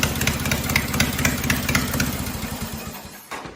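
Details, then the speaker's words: Cub Cadet 482 tractor after swap to 12.5 hp Briggs opposed twin with rebuilt carb, no mufflers: loud open-exhaust crisp regular beat about four pulses a second, even and clean; running normally. "It sounds good. It's loud, but it sounds good."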